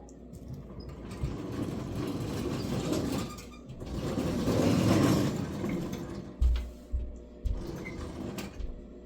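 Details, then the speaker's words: Locomotive "the 70" runs on the shop bench after a burnt traction motor was replaced and dry chains were lubed and checked for binding: an even mechanical hum, light chain patter and a few soft clunks, with no grinding. It sounds much better than before. Normal running. "Well, that sounds a whole lot better than it used to. Amazing what a little maintenance will do."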